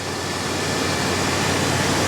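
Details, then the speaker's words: 6.0 LQ9 V8 with a small cam in an OBS two-door Tahoe, new exhaust with catalytic converters: steady, even hum with no miss, surge or shake, "sounds like a sewing machine"; normal idle. "Sounds like a damn sewing machine, right? Give it a little bit of gas for y'all. Sounds like a freaking sewing machine."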